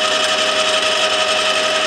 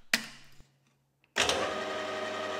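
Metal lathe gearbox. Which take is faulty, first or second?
first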